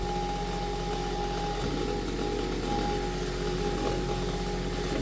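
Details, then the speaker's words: Vintage Kenmore electric fan after repair, with a newly wired rotary switch. At high speed it gives a fast, steady whir with an even hum, no ticking or rubbing, though not quiet. Runs smoothly at high speed. "Hey, it gets up to speed and it gets quiet. Well... Good gravy, that's fast. And not exactly quiet, but..."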